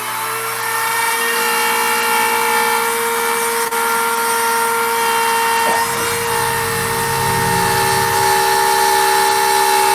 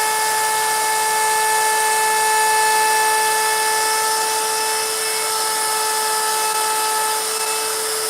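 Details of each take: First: Router carving a sign with a profile bit: high motor whine with rough buzzing rattle; chatter from the bit microscopically shaking because it sits too far out of the collet. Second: Router carving a sign with a 90-degree bit: steady high-pitched motor whine with even cutting hiss, no bogging or chatter; cuts cleanly and faster than the profile bit.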